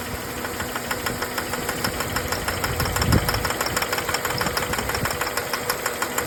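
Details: 2004 Jeep WJ 4.0 at idle: crisp, even tick about three per second over the engine, cause unknown; owner suspects smoke comes from intake manifold gasket and asks what the knocking is.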